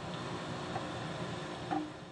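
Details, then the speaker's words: Motor just reinstalled and rewired on a Kearney & Trecker 2HL mill, run from a phase converter, while greasing its bearings: steady even hum with low rumble and grease faintly heard spinning in the bearings, no knocks or squeal; normal running. "everything seems to be going great the electrical seems to be running just fine the motor sounds fantastic you can hear the grease spinning around in those bearings a little bit"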